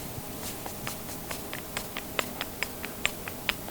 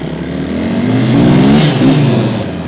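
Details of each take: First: YetiSnowMX snow bike jack shaft, sprocket on the shaft rocked by hand: sharp uneven clicks about once a second, amplified in the tunnel, where a new one is silent; worn spline with play. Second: KTM-based Yeti snowbike, earlier clacking from the rear jack shaft, during a ride: engine pulls through rising and falling revs, smooth with no knocks or rattles from the drive; sounds fine.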